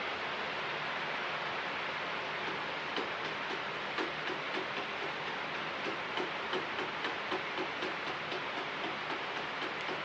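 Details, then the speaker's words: Standing fan with plastic oscillation gears: irregular light ticks and clicks about four a second over steady fan rush as the worn gears slip and skip teeth against each other, so oscillation fails. "مشکل با این که من با آن من فکر می کنم باید این چرخ دنده ها باشد آنها علیه یکدیگر اسکیت می کنند زیرا آنها پلاستیکی هستند"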